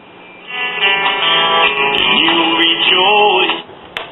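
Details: 1939 GE tombstone tube radio, after lubricating the still-stiff tuning condenser; speaker looks worn and may need repair or replacement. Station plays clean but thin with treble cut off as on AM, no hum or crackle; set working normally.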